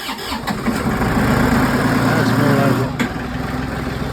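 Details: Massey Ferguson 1736 diesel tractor, cold start at 20° with wind after sitting a week, glow plugs warmed, fuel filters recently changed after hard starting (oil level also suspected). Cranks briefly, catches quickly, steady clattering idle; a clean cold start.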